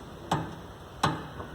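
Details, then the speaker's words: Chevrolet Astra suspension before repair, body pushed by hand: two sharp dull clunks about three quarters of a second apart, initially traced to the shock absorber's upper mount; worn upper strut mount and leaking shock absorber. "chega aqui barulho aqui a princípio no coxim do amortecedor"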